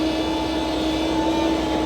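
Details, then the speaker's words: Diesel engine with a steady, constant-pitch high whine once hot, silent after a fresh start; fuel pump pressure checked and reported OK; mechanic suspects thinned hot fuel through the pump causes the whine; unconfirmed. "ก็อย่าว่าที่เสียงหอนเนี่ยอาจจะเป็นเพราะเนี่ยเวลาที่สตาร์ทเครื่องขึ้นใหม่ไม่มีเสียงครับเวลาที่ร้อนแล้วมีเสียงมีเสียงหอนครับ"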